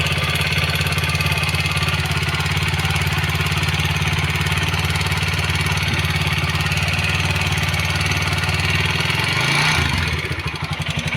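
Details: TVS Apache RTR 160 4V single-cylinder motorcycle, not very old, idling with a rapid, light ticking over the beat from the engine; loose tappets needing tappet setting.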